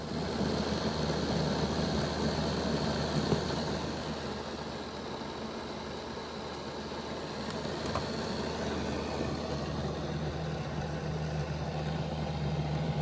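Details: Bachmann Dash 9 model locomotive on stationary rollers, running reversed, rear motor block before repair: steady coarse growl, more growling than the front block; rear block had been stopping, later fixed by reseating motors against the contact strips.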